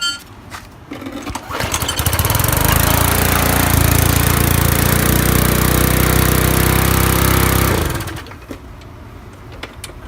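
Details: Briggs and Stratton lawn mower engine, first start after head removed, head gasket refitted and carburetor clean: pulls over, catches within seconds, settles into a steady, even single-cylinder drone, then winds down cleanly; healthy.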